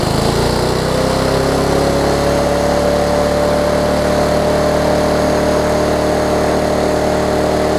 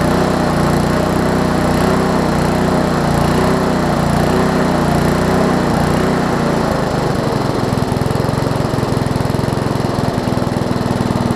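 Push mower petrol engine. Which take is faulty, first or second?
first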